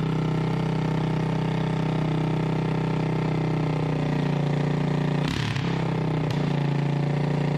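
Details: 1988 Honda TRX200SX single-cylinder engine on the bench just after full rebuild (cylinder bored .020 over, new crank bearings and seals, replacement case, JB-Welded stator cover): smooth steady idle with an even low drone, no knocking, brief handling clatter; runs like new.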